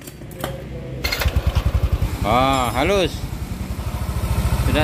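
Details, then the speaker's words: Yamaha NMAX scooter, piston and connecting rod previously replaced: even, quick putter at idle with a short rev, no knocking or rattle left; normal idle. "tidak ada lagi ya selisih suaranya"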